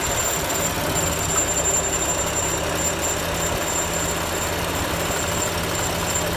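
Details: BMW M4: a thin, high, steady squeal sits above the running engine and hiss throughout; the source of the squeak is unknown.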